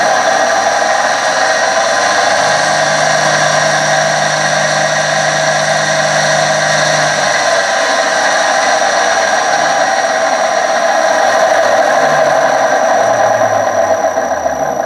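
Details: 1966 Hitachi 1.5 hp three-phase lathe motor run from a VFD: loud, steady howl with a droning groan underneath, holding constant; bearings sounded shot and were replaced with NTN 6306 bearings, coils cleaned with degreaser.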